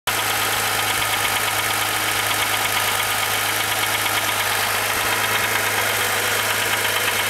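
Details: Rebuilt S20 transmission: steady harsh grinding rasp over the idle that goes away whenever the clutch is pushed in, pointing to the gearbox input side.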